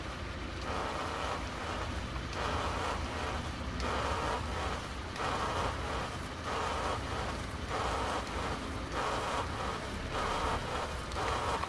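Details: 2001 Audi A4 at road speed: rhythmic whirring wah-wah pulsing roughly once a second over wind and road noise, tracking road speed; a bad tire, fixed by replacing the tire after ruling out everything else.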